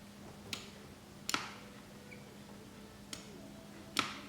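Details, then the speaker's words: 1966 Triumph Spitfire MK2 with the ignition switched on: sharp, clean relay clicks, four in about four seconds, over a faint steady hum, showing the relay switches properly. "relay doesn't work but if we turn the ignition on I can hear the relay clicking"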